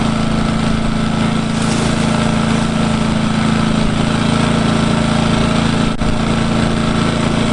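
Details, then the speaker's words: Engel 2500W inverter generator on 91-octane petrol, first start during break-in, eco throttle on with no load: steady even low drone, constant pitch, no hunting or knocking; quieter than expected; healthy idle. "I'm pretty I'll tell you now it's not as quiet as the Honda apparently I'm pretty impressed with I thought it would be louder guys I honestly did"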